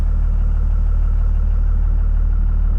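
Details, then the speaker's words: Cummins diesel (2nd gen) at steady idle after swapping the big airbox and clogged filter for an open air filter; even clatter about three beats a second with a faint turbo whistle now more audible, normal running. "obviously you hear a turbo a little bit more you know that's just normal taking that big box off there with an open filter it you know opens up the sound a little bit"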